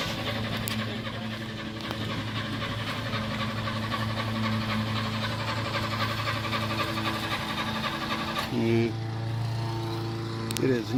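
Starter turns the engine over at a steady rhythm, roughly four beats a second, but it never catches: cranks, no start.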